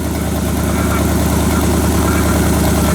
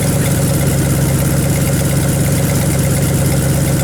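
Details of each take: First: 1978 Chevy Silverado 20 pickup V8, bought with a seized engine, now warming at idle with a little exhaust smoke; uneven ticking clatter, roughly three per second, from the front accessory drive, suspected water pump or AC compressor, unconfirmed. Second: 1978 Chevy Silverado 20 pickup engine, previously seized, first run after adding coolant: a deep, steady V8 idle with an even rumble and no misses or knocks. Slight smoke comes from penetrating oil burning off the exhaust manifolds.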